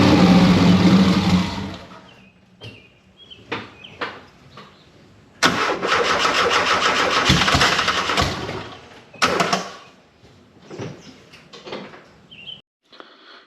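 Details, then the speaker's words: 1973 VW Super Beetle with swapped Subaru engine, throttle-only control, no idle yet: rough catch, sputters and dies, stumbles through short bursts; flooded, lots of fuel out the exhaust. "like i was saying we're pretty sure that the motor flooded although this time this happened a couple times and this time it actually didn't look as bad as it has in the past but we did get a ton of gas out the exhaust"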